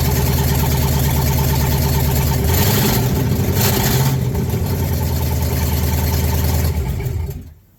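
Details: Ford Ranger with a new V8, first start on open headers only: loud, lumpy idle with uneven beats and blips before shutoff, misfiring because the PCV was not connected and the #8 injector was unplugged; a fuel leak was also present.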